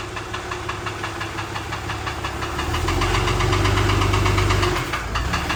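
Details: Dodge Ram 6.7 Cummins diesel at idle, before engine removal: a sharp, regular knock about three times a second rides loud over a steady idle; deep internal knock, cause not yet found.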